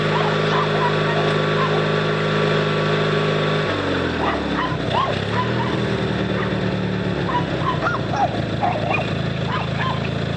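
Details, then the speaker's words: 18HP Noma lawn tractor twin, started by bump-starting the solenoid with pliers after charging the battery: it catches after a few cranks and settles into a steady, even, healthy run under barking dogs. "yep she's a runner"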